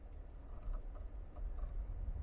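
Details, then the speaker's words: Geely Geometry pulling away from a stop: faint repeated clunks ("ga ga ga") over low road rumble, louder with sharper throttle; not the lower control arm as first thought but a broken drive shaft retaining plate, a factory defect. "现在起步它就很明显，你听啊，嘎嘎嘎。"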